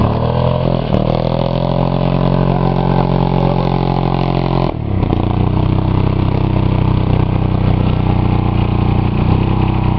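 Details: Buick 3.8 (3800) V6 blown in a crash-a-rama, run with one connecting rod removed, a giant hole in the block and little oil; harsh, clattery revving that sags sharply midway then picks up, lasting about one minute three seconds.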